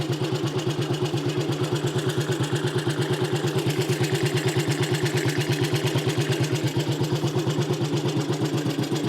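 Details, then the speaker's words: Small classic Tiger Cub single, finished work: fuel on, carb tickled, no choke, kick-started. Starts straight away into an even thump about three beats a second with no misfire or clatter; normal idle. "all right so ignition's on give it a kick straight away ticks over"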